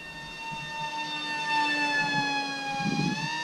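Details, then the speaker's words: Flite Test Master Series A-10 twin-motor RC jet in flight, ESCs possibly damaged earlier by long full-throttle runs; two close whining tones at slightly different pitch drift against each other; owner suspects a slipping prop or loosening prop nut. "might just be a prop slipping because it sounds like one slightly different pitch than the other maybe a prop nuts coming loose"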